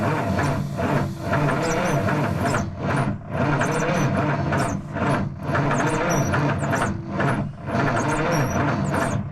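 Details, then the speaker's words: 1977 Peterbilt 359 sat about 20 years: slow, labored cranking with uneven dips about every two seconds, never catches; builds oil pressure; owner suspects batteries aren't fully charged, not confirmed. "The batteries just don't have enough. Yeah. Well, they're good batteries, but the thing is, they probably aren't full"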